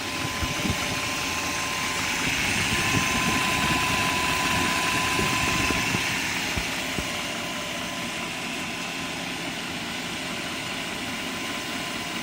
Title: 97 540i M62 Timing Chain Rattle?